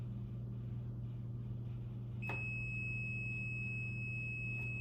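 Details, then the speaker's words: Multimeter continuity check on terminal-block jumpers, probes from terminal 1 to 10: a steady high beep starts as the probes touch and holds over a faint low hum, so the jumper circuit is continuous. "That means it's a connection between those. It's just sending a signal from one point on the cable to the next point on the cable."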